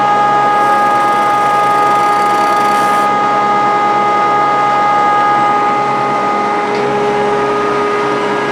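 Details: Grizzly G0458 18in open-arm drum sander, reassembled after breaking down: steady even motor hum with constant blower whistle, no rattles or grinding; runs healthy.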